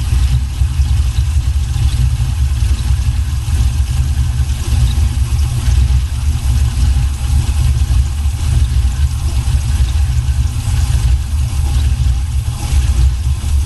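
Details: 1979 Buick Regal with a swapped LS 6.0 V8 and new exhaust: deep, heavy rumbling idle with uneven, choppy pulse; normal lope of a big-cam V8.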